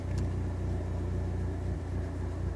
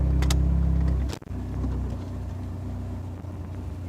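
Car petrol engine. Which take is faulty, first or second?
first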